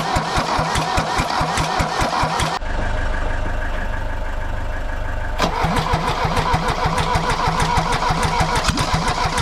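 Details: Mercedes W123 200D diesel, first start after about 25 years standing, new fuel lines and filters, refurbished injection pump timed at 24° BTDC: settles into even steady idle clatter, no misfire or heavy knock; healthy.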